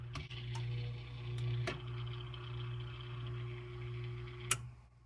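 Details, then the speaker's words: Whirlpool fridge making noise a couple of times a day; air damper motor (part WPW10479155) closing when the power is turned off: faint thin tone for a few seconds with light ticks over the steady hum; noisy damper motor. "and this makes the noise I'm going to try it again when you turn it on it opens"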